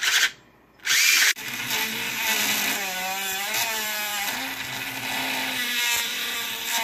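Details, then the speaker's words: Cheap 3 V RC-car motor driven far over its rating (12 V): high strained whine with scratchy brush noise, pitch wavering under load, motor getting hot and soon smoking; overheating from overvoltage. "It's going real powerful now. It is getting hot. I can confirm that."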